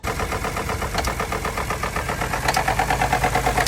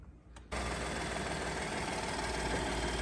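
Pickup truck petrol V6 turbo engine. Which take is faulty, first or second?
first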